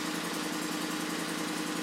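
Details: 2012 Ford F150 idling after the no-start, shutting-off fault was traced to a loose connector in the passenger-side fuse panel; even, regular firing pulses at a steady idle with no stumble or stray noise; normal idle.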